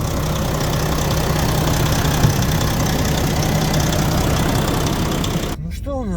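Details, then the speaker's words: Volvo FH4 diesel truck, about 100,000 on the clock: after warming, knock returns at about 76°C, uneven knocking roughly four per second through the idle clatter, pointing to the camshaft. "То есть она пока не прогрелась, она не застучала. Раз я снимаю это видео, значит, она застучала, иначе бы уже все давно уехали."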